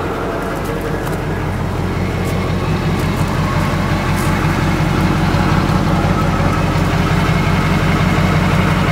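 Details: Truck at idle rising gradually with revs: diesel-type sound with light irregular ticking on top; something sounds off, cause unclear.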